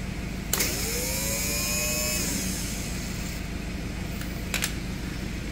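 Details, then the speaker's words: Starter motor from a John Deere X340 riding tractor, being revived after mice lived on the engine, bench-run after its contact surfaces were cleaned: it spins up with a rising whir and steady hum, then coasts down. The cranky starter is fixed and healthy. "and that is how you can redo a cranky starter on a John Deere x340."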